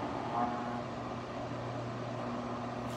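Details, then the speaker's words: Wahoo Kickr Headwind fan at about 75% speed: steady low droning hum with a buzzy edge at one pitch. Vibration can be felt on the housing and is most noticeable around 50–75%; at 100% fan noise masks it. "can feel 75 you can feel there's some vibration here hopefully you can also hear it i definitely can"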